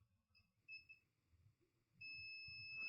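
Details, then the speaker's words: Dead Mobicel tablet, no power, after battery tampering: multimeter continuity on ceramic capacitors around MediaTek MT6323GA power management BGA chip gives short chirps then unbroken steady beep; capacitors shorted to ground, chip suspected faulty, to be replaced. "this is short this is short even this is short so I think we have a problem with this chip"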